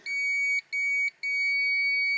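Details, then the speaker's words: Volvo with ABS fault code 0070 (ABS pump motor signal): continuity tester on ABS fuse gives clear steady beep with two brief dropouts; fuse intact. "och eh är då säkringen hel då börjar den här pipa så man slipper hålla på att ta ut de här för de de här kan sitta ganska rejält och fast de där så att då är det lättare att bara ha en sån här så att piper det till här då har vi en hel säkring"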